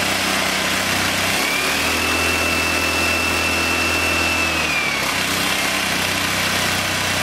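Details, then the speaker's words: English Suffolk Super Colt vintage single-cylinder engine, clamped to a weed eater stand after manifold and ignition help, running after choke off: steady, even run, no misfire or knock, faint whistle rising briefly, exhaust fan in background; runs smooth without heavy vibration. "Wow, this runs pretty smooth. It's not vibrating everything off my bench."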